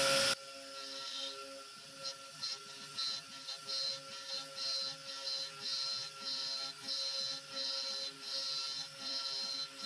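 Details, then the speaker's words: SX2.7 CNC mill with NSK ATC spindle ramping in: harsh high crunching bursts about every half second, no chip evacuation, like crunching rocks; owner suspects a bad grind on that end mill, as a same-batch replacement sounded better. "This is the ramp that was just, there was no chip evacuation whatsoever. It was like crunching rocks in there."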